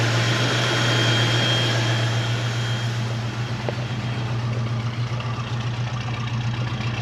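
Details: 1970 Ford Mustang V8 with power steering and brakes, just started, oil pressure rising, alternator working: steady even low rumble with a regular beat, no ticks or knocks; runs nice and smooth, normal idle.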